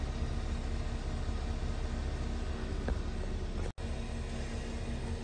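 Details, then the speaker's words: Hyundai/Kia car just after a fuel pump replacement to fix a gas leak. It started fine and idles with a steady, even low hum, no knocks or misses, and no leaks seen. Normal idle. "As you can hear the car running, as you can see, the car's on."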